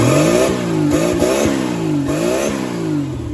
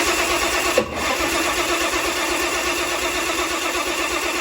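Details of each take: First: the good news is that is a running turbo Slant six which is very exciting it sounds like a slant six through a turbo Second: Turbo Chrysler 170 slant six cranking evenly, fairly fast, about five seconds without firing, after battery disconnect; distributor timing suspected of extra advance versus the Atomic EFI.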